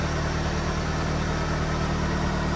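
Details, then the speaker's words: 1993 Asuna Sunfire after replacing the coolant temperature sensor for hard starting and flooding after a drive: a smooth, even idle with a steady low hum and no ticking or misses; normal idle. "It's smooth. Idle's nicely nicely tuned here. So, uh, very impressive."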